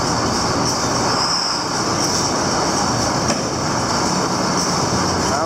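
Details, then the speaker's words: Hesston 4910 baler running: short high squeaks come and go over its steady clatter as the stuffer fingers, moving in and out, rub against one of the bands; the band needed moving over slightly. "The squeak, we know what that was. That was just the stuffer fingers going in and out of one of the bands it was touching."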